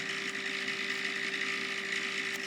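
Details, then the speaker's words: Davey D75A1 sump pump pumping very slowly, suspected air lock or occasionally spinning backwards: steady high whir with a light rattly buzz; pump vibrating while running, cause unclear. "okay the pump is is um it's going but it's pumping very very slowly and there's a bit of a vibration sound"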